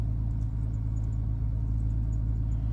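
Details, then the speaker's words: 2012 Dodge Grand Caravan 3.6L after cleaning the wireless ignition module (WIN module) that caused intermittent no-starts: low, even, steady idle with no misses or knocks, starting better than before. "actually a lot better than they did before"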